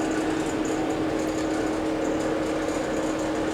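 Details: Chevrolet El Camino, engine running: constant gritty grind and steady hum that never change; owner suspects the power steering pump is low and will fit a new belt.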